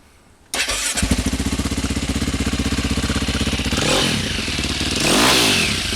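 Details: Cold single-cylinder engine after cam chain tensioner installation: fires up and idles with even thumps about four a second, then a couple of light blips; no chain clatter, sounds healthy; rattle is worse when hot.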